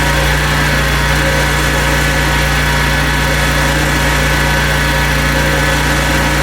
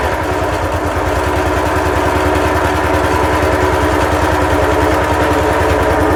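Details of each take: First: Husqvarna two-stroke chainsaw after the recoil was cleaned and lubricated: loud, steady drone holding one speed with no grinding or rattling; runs smoothly, carb clean still planned. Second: Petrol-engined plant machine (likely road saw) just bought, first start on choke: steady running with a thin whine, blade shaft bearing suspected worn or dry, possibly needing grease.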